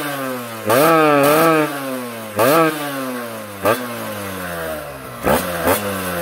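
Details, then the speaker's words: Kawasaki Ninja 2T two-stroke after engine refresh with special OB block, original piston pin: crisp blips rising and falling with throttle, settling to steady idle; very smooth, normal running. "aman uh halus halus banget suaranya cuy ini enak banget nih suaranya nih suaranya halus"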